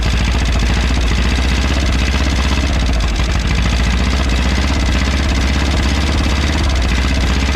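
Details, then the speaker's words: 1951 Willys CJ3A Jeep, first run in about 50 years, fed by fuel poured in from a bottle with no proper fuel system yet: deep, even, steady thumping idle with low rumble and no obvious distress. Engine running at idle. "Well, there we go. After, what did we say, 50 some years, this thing's running."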